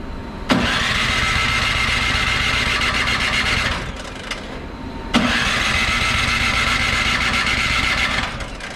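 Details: Craftsman 24in snow blower, 208cc OHV engine, barely used, clean oil, electric start on extension cord, choke on and primed five times: two ~3-second cranking bursts with steady starter whine, never catches; no start, carburetor found clogged.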